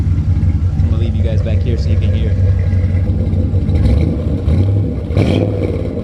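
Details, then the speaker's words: C4 Corvette V8 idling with Flowmaster exhaust, heard from the rear just after its first oil change in about ten years, some smoke from spilled oil on the exhaust; deep, even burble with steady low rumble, no knocks or misses; normal healthy idle. "This thing sounds so sick with the Flowmaster's exhaust. It sounds so good. It's perfect. Not too quiet, not too loud."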